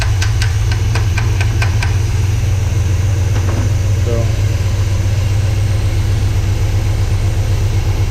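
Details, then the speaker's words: 1979 Chevy C10 V8, sat over 10 years, carburetor leaking fuel and running slightly rich, no belt fitted, hot-wired via the distributor: deep steady idle rumble after a few clicks, no visible smoke; engine runs and idles decently. "either way, we got a runner. It's idling, sounding halfway decent."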